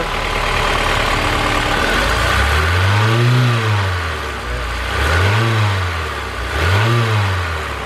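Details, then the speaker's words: Honda S2000 after replacing missing alternator bolt, revving at idle: light clattery ticking rising and falling with engine speed; lifters rattling, with missing manifold brackets and bolts found. "Alright, new bolt is in. Let's try that. The lifters are a little rattly."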